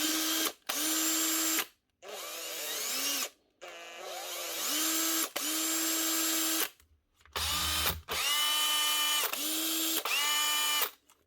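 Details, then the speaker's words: Well-worn power drill fitted with a new armature, given a sound check: several short runs of a steady, even motor whine with no scraping or sparking rasp. It passes, sounding worn. "Nothing wrong with that. So that's okay. Passes the sound check."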